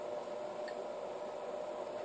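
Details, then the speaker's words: Pevono PS305H 0-30 V 0-5 A DC bench power supply driving a 10 ohm 75 W wire-wound resistor load; soft steady fan whoosh with faint hum, no rattle; variable-speed cooling fan slows as voltage and current are turned down, normal operation. "as I turn the voltage down and the current the fan speed decreases so it is an actual variable thing a variable speed fan actually changes which is nice"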